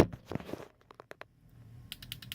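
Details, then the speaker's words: Launch shift light in programming mode, buttons 1 and 2 held while the ignition turns on: crisp relay clicks in a steady train of about five a second as it cycles normally. "while I'm still holding it you hear the relay start clicking and you see the relay flashing so when I let go it's going to flash my setting back to me"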